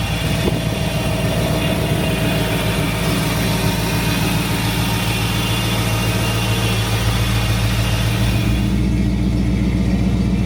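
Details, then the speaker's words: 1955 Ford F100 pickup with 302 V8 at idle: deep, even idle that blips and settles with a faint steady whine from the gear-drive timing set; normal. "Now, if you hear that little bit of whining sound, this thing's got a gear drive on the timing set. So a lot of guys like to hear it."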